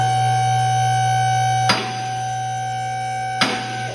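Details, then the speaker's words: Two-post vehicle lift raising a car higher: steady electric pump whine, broken by two sharp metallic clicks about 1.7 seconds apart as the safety catches engage automatically. Normal operation. "you can hear it's automatically going on those safety catches. So we're gonna go all the way up."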